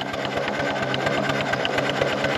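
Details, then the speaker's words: 4-inch Foster steam traction engine after boiler work, on a winter steam test with about 20 on the gauge, first time driven under steam in a while: a steady, even chuff with a regular beat and no knocks. It is running well. "she's running really [Applause] well just power up into big wheel just pull in that 60 L sounds good"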